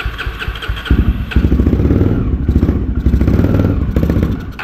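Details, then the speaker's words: 2008 Honda Twister 250 with hard starting, before carburettor adjustment; uneven, stumbling firing surges and sags and dies as soon as throttle is released, won't hold idle due to poor mixture. "ó se você não segurar a acelerada ela não pega ó soltou ela apaga na hora ó tá vendo cara tá muito ruim essa"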